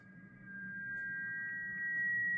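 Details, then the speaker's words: MES PO-2301 battery-powered portable amplifier with Shure T6-CE receiver and SM58 mic, before repair, volume raised: a steady piercing high-pitched whistle over a low hum, unchanging; unfiltered power supply noise is getting into the amplifier. "here we go as you can hear there is a lot of high-pitched noise at this point"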